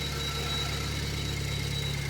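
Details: Car with rebuilt Ford Powershift 6DCT450 dual-clutch transmission, first start after reinstall and refilling mechatronic oil: steady even engine idle with low hum, no grinding from the transmission.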